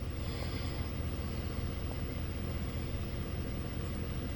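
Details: 2010 Ford F-150 after coil pack replacement and check-engine light reset: low, even rumble with steady idle beat, no misfire stumble or ticking; engine idles smoothly, check-engine light gone.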